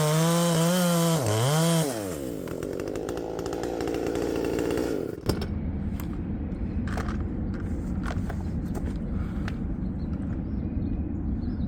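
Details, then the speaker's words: Modified Poulan Pro 5020 chainsaw with a 20-inch bar, cutting wood: high screaming revs drop suddenly into a lower, uneven burble and never recover. Cuts out under load; owner suspects coil heat losing spark, the plug, or the carb, unconfirmed. "so yeah there's something not quite right maybe I need to rebuild that carb um who knows"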